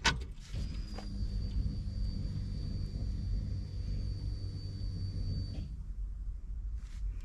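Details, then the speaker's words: 1967 Camaro with Holley Sniper EFI, out for the first time since the 1980s: key cycled on to purge air from fuel system; thin steady high whine over low hum for about five seconds then stops, electric fuel pump priming. "still pushing the air out of the system out there you can hear them one more time"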